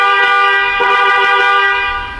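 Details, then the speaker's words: Newly installed Hella horn (fit-and-forget, 3-year warranty) on a Maruti Suzuki Fronx: loud, clean, steady two-tone honk held about two seconds before easing off, no rasp or warble; horn working properly. "അതേപോലെ തന്നെ നമ്മൾ horn add ചെയ്തിട്ടുണ്ട്. Fit and forget Heller 3 years warranty വരുന്ന ഹോണാണ്."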